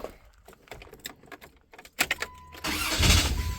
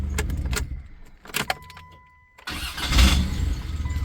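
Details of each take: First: 1993 Dodge Caravan, just after fitting a rebuilt starter: key click, quick crank and prompt catch into a steady run. The start is healthy. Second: 1993 Dodge Caravan starter cranking after rework: a brief bright metallic ting as the engine catches, less bad than before. The starter engages oddly and may not fully disengage; the owner wonders if it needs shimming.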